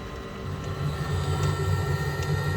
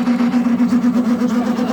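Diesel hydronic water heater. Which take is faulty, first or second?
second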